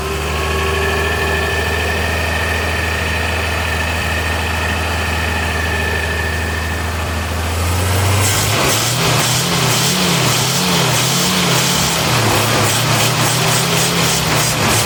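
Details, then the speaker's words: 1979 Ford High Boy truck, old carburetor engine first running after sitting dry with new fuel pump: idle holds then surges and hunts unevenly on throttle blips; rough running from incorrect carburetor mixture. "so we're running but we got to definitely do some adjustment on that carburetor I'm going to go in and get the screw and see if I can't back that in or out there a little bit see which one it wants"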